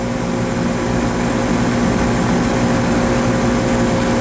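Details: Scroll compressor running with very low capacity (about 15%, roughly 3000 BTU measured), pressures barely pulling down: steady even hum with a low drone and no load change; internal high-to-low relief valve stuck open, so it won't pump down.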